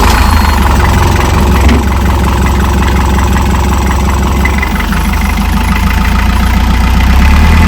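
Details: Boat diesel after in-situ repair, running while air is bled from system: deep rumble with fast steady idle clatter, no misses or bangs; running normally.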